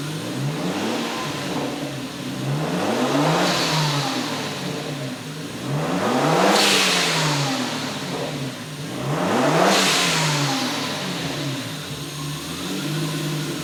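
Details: Toyota BJ40 Land Cruiser twin-turbo 1GZ-FE V12 on an untuned Haltech base map with newly fitted GFB Mach 2 blow-off valves: three strong revs, each lift-off followed by a sharp whoosh; healthy engine, valves venting cleanly.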